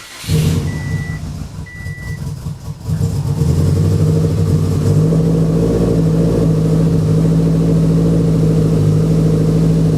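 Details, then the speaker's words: Fully built Subaru WRX after a timing problem was fixed with OEM timing components: after a couple of chimes the engine starts and settles into a smooth, even idle with the earlier clicking gone. "That is running so much smoother than before. I think we finally got that dialed in. Well, that's good news. I didn't hear the clicking anymore, so I'm assuming that that's exactly what it was."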